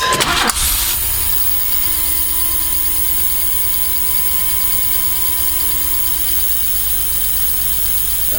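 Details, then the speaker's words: GMC Safari/Astro 4.3L V6 with 215,000 miles after TBI rebuild with two new injectors and rebuilt fuel pressure regulator: cranks, catches quickly, steady smooth idle; previously popping and missing. "that sounds pretty smooth holy crap that's really smooth okay that sounds good to me I'll have to test drive it to make sure but that sounds great it was kind of popping and missing before so now it is good"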